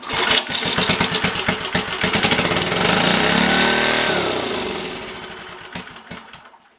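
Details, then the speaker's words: Black & Decker generator with Briggs & Stratton 5HP engine, long unused, rusty tank and dirty carb, started on choke: sputters, catches, revs climb unchecked to a shrill race before shutdown; overspeeding, choke/throttle linkage suspected. "Yeah, that's running out of control."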